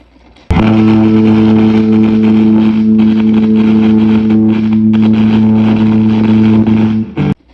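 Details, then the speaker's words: Crackling pot in a 1964 Fender Princeton Reverb: a held guitar chord from a P90 Stratocaster is broken by scratchy crackles as the reverb knob is turned, typical of an oxidised, dirty potentiometer; cheap DIY fix. "Crackling. In fact, almost all these pots crackle when you turn them, especially this one."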